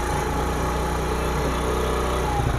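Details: 2022 Honda CD 70 motorcycle after full tuning, during carburetor idle/mixture screw setting: small single idling with a steady even low beat and no misses; idle smooth and settled.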